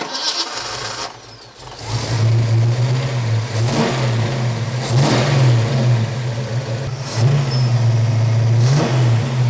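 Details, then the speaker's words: Fox-body Mustang V8 freshly fitted with new heads, cam and intake on a carburetor: catches and settles into a high, hunting fast idle that surges every few seconds; the electric choke's heater wire was unhooked, so the choke stays closed. "You gotta hook that up or the choke will never turn off."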